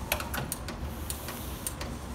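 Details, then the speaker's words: 1974 Chevrolet C10 replacement mechanical windshield washer pump, after repair: the cam turns, crisp uneven ratcheting ticks several per second over low background hum; normal washer pump operation. "so what you're hearing in there is this cam goes around ka tank ka tank katenk you're hearing that"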